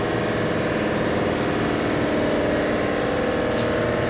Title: Cleaning fuel injector and intake issue engine random misfire and high and low #shorts